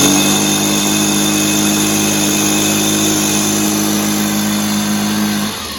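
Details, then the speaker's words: Echo PB265 ESLT backpack blower two-stroke after new crank bearings fitted, first start in a long time: fires up and holds steady, even buzz, no crank rattle or rumble, then settles lower; much quieter than before. "So, success. It's a lot quieter than it was, which it should be because it has some new bearings in. The carb seems to be better."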